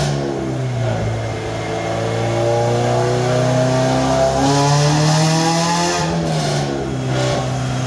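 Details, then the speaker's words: Warm idle on the dyno car, carb cleaner sprayed to find a vacuum leak: idle pitch hunts up and down instead of holding steady, surging from a vacuum leak. "once you hit a vacuum leak the idle is going to kick down and or stop surging which is what I'm going to show you"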